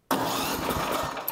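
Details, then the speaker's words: Snowblower electric starter after retightening loose quarter-20 mounting bolts that caused grinding: just over a second of clean, even starter spin without starting the engine, no grinding or gear clash, gear teeth undamaged; engaging properly. "para que el motor de arranque se agarre como debería, no hay ningún rechinar ahora, afortunadamente, no hay daños en los dientes."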